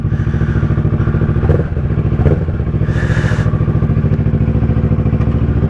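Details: 2010 Kawasaki ER-6n twin after new coils and spark plugs and cam/valve work, cold on choke: steady, even low thumping at fast idle, about three pulses a second, no misses or knocks; healthy.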